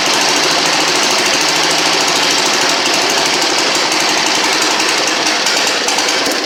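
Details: 1960 Harley Ironhead Sportster, first start after sitting since 2010, following magneto service and a fuel flush with fresh gas: loud, fast, rough popping from the open pipes holds steady. It runs cleanly and keeps firing; normal running.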